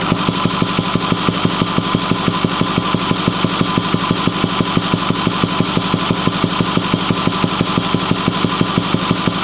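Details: Ford 6.4L diesel at 208,000 km (129,000 mi) with a Banks 6 Gun and Ram Air cleaner, idling with a steady thump about twice a second from the intake; it runs smooth with full boost, cause unknown. Intake thumping at idle.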